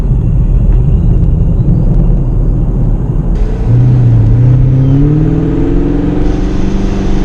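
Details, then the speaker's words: 2017 Camaro SS V8 with newly installed ProCharger and intercooler, first test drive: whine rising with revs plus whooshing from the bypass/surge valve; normal supercharger whine and bypass valve whoosh. "now now accelerating up to you just hear that uh purge valve just going just a constant whooshing noise kind of loud"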